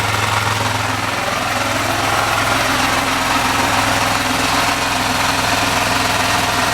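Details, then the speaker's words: Small engine on a Hollingsworth air compressor, after fitting an added external muffler; steady idle with softer exhaust and normal mechanical clatter, no longer aggressive; normal idle. "The exhaust is a lot quieter. You can hear the mechanical sound of the engine. That's normal. That's not aggressive anymore."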